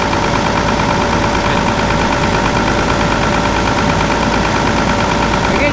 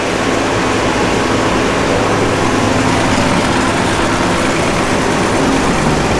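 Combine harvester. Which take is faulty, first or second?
first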